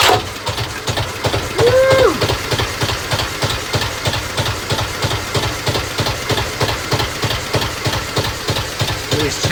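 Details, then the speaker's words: Vintage narrowboat engine (valve timing adjusted, oil changed, injectors reconditioned last year) starts quickly and idles with a slow, even thump about three beats a second, no misses or knock; oil pressure settles near 20 psi; surprisingly quiet, normal idle. "Yeah, you can hardly really notice it. I thought it'd be really loud."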